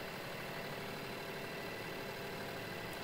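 Even, steady engine note with no slow dragging or stumbling; it turns over and runs normally.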